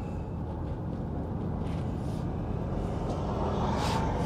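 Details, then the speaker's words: 2005 Nissan Elgrand E51 on a road test after replacing worn anti-roll bar drop links: steady low road rumble over the bump that used to trigger the knock, with no clunk from the front; suspension quiet and tight, fault cured. "yep it's cured there's a little bump there that always triggers the noise and in a significant manner"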